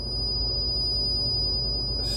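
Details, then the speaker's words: SR105 VIC/WFC cell setup at about 42 volts: steady thin high whistle then sudden hissing crackle, static or arcing with signal going crazy; reversing primary polarity avoided it. "static or arcing when I reach 42 volts at the cell back to gap. I hear the same thing. Signal goes crazy when that happens."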